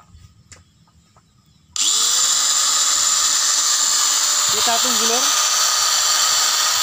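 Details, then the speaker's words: Angle grinder that made a crackling noise from armature problems, after scraping the armature with a bicycle-spoke tool and refitting carbon brushes: abrupt spin-up to a steady even high whine with no crackle or rattle; running normally. "Suaranya sekarang normal, bagus."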